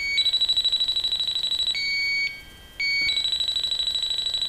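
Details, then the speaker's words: Viking Professional wine cooler, copper evaporator coil, pressure dropping within 10 minutes: leak detector beeps rapidly and evenly, pausing then resuming, picking up refrigerant traces at the coil; traces possibly from blown-in insulation. "picking up traces up here over here yeah"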